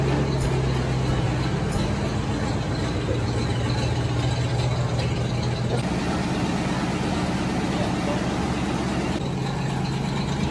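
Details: 1990 Ford Mustang V8 Fox Body convertible just started after sitting eight years: steady heavy idle rumble with a coarse, blatty edge; owner says the exhaust seems loud and needs attention.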